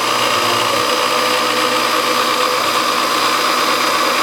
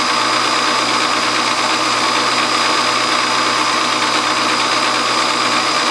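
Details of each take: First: Milling a scrap brass governor weight bracket with the power feed rate turned down: steady, even cutting whine with constant high hiss, no chatter or squeal; smooth cut at the lower feed. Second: Home hobby milling machine spindle running: loud, constant metallic rattle from a loose drawbar chattering inside the spindle; a bushing was added, and the mill runs quiet with the drawbar removed.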